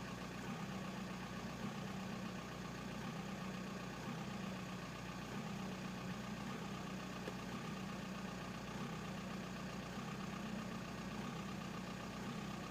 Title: 1999 VW Bora/Jetta AJM 1.9 TDI 85kw bad injectors